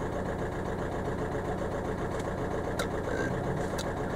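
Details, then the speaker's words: Volkswagen idling uneven and lumpy with a stumbling beat, a misfire on cylinder 3 that OBD Eleven traced to a voltage issue, suspected wiring loom; not yet repaired. "Although it still sounds like a tank, doesn't it?"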